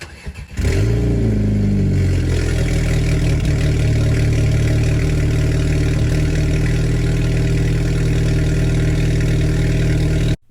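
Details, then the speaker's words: VW GTI direct-injection petrol engine after walnut blasting of the intake valves to cure cold-start misfires: cranks, flares briefly on the first start, then settles into a smooth, steady idle. "but after some rips steady driving your VW can sound new again"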